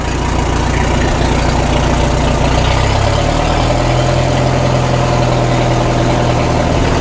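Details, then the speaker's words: 1936 Caterpillar Twenty-Two tractor on gasoline, run after sitting for years: a deep, slow chuff at low throttle, which is its slowest idle, firing steadily, with 35 PSI oil pressure. Normal low-throttle idle. "Now we're running 35 PSI oil. That's good. That's as slow as it runs. That's low throttle right there."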